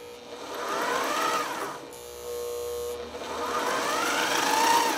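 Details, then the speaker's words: Sailrite LSZ-1 sewing machine with its stock motor, before the WorkerB motor upgrade, sewing seat material as slowly as possible: the motor hum drags and wavers, straining, then suddenly runs up; erratic at low speed. "Okay, like I say, it'll go slow, but it's erratic, and you'll be able to hear the engine straining to try and go, because it's not meant to do that."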